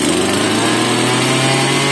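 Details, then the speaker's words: Two-stroke chainsaw after a decompressor-valve start: steady high buzzing fast idle without surging or misfire; revs return to normal as the saw warms up. "Race पनि नर्मलमा आयो भनेपछि अब तात्यो।"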